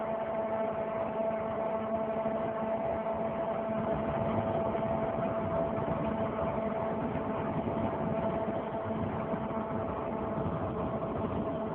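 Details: 2003 Saturn Vue 4-cylinder AWD with check engine and coolant lights on (coolant fine): very loud droning hum with a steady mid-pitched tone from the front driver tire area that rises with wheel speed; hub already replaced without fixing it, cause unknown.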